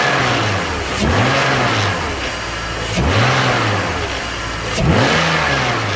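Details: BMW E46 330Ci M54 petrol six revved three times after VANOS rebuild with only new rubber and Teflon piston seal rings: loud metallic rattle through every rise and fall, worse and more powerful than before; cause unknown.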